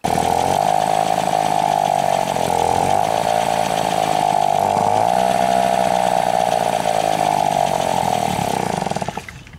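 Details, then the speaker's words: Moped two-stroke, rebuilt engine, new spark plug, unchanged ignition and HT coil tested good: steady slightly uneven idle then fades and dies; runs fine riding but won't hold idle, cause unknown. "mais incapable de tenir le ralenti c'est à dire que dès que je suis au ralenti où on l'entend elle s'éteint"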